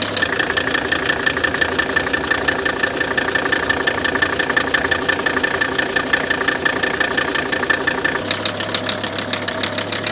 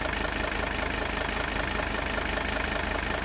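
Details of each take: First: Newly acquired 1981 Mercedes 300TD (OM617 diesel), just started with a booster and no glow plugs, idles with fast sharp knocking clatter; unclear whether normal injector nailing. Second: Diesel idling on straight store-bought vegetable oil fed through a heated line; smooth even clatter at about four pulses a second with no sharp knock, described as a healthy engine.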